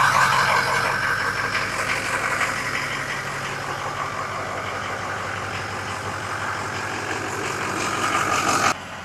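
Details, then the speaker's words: Neglected Ford 6.0 Power Stroke diesel truck just after oil change: steady, even idle with smooth low rumble, no knocks, misses or ticking, no leaks, dash and monitor readings fine; normal idle. "Alright, everything is looking good from the monitor perspective. Everything's looking good on the dash. Go ahead, shut this down. And we got no leaks, so we are good on that front."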